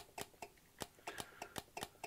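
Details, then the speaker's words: Returned LonWorks control circuit board, one of the designer's first products from around 1999, outputs tested one by one: crisp single relay clicks at irregular intervals in a quiet room; inputs 0–2 switch cleanly, input three's relay doesn't work properly. "if I just press one in theory relay one should energize so here's input zero that seems to be working we can hear the relay click"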